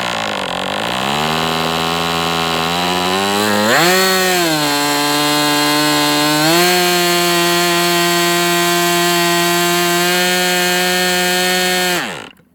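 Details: MDS 68 FS Pro four-stroke glow model engine, end of first break-in run, tach monitored. High buzz steps up in speed twice, holds, then dies suddenly. Owner unsure rich or lean, believes not lean given heavy smoke; carb setting suspected.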